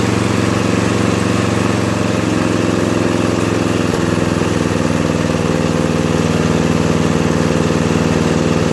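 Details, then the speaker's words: 2001 Murray Select LT riding mower, after carburetor cleaning (float needle stuck open from ethanol, fuel flooding crankcase) and oil change: even, steady single-cylinder putter at a slightly fast idle, idle still too high even when turned all the way down; no misses or surging, runs smooth. "lower the idle a little see it's all the way back still running too fast so anyway looks like i fixed it pretty well"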